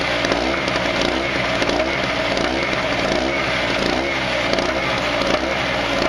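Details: Harbor Freight 900 peak/700 running W generator, 63cc 2 HP air-cooled two-stroke, governor pinched open, stick welder drawing: loud buzzy drone never climbs in pitch; engine can't throttle up to match the welder's load.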